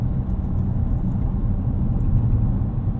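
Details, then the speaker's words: 2026 Dodge Charger Scat Pack, 550 hp inline-6 Hurricane twin-turbo petrol, 8-speed auto, AWD, relaxed cruising on Tail of the Dragon: low, steady, even rumble, engine barely audible under road hum, no knocks; healthy quiet cruise. "Uh, this engine quiets way down when you're chilling. It is really relaxed. Um, yeah. I mean, it really disappears."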